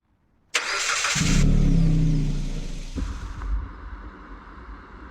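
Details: 1969 SS Chevelle big block that sat 37 years: cranks, catches and settles to a wavering, stumbling idle instead of running smoothly; rough running, owner suspects loose spark plug terminals, plug wires or ignition connections, unconfirmed.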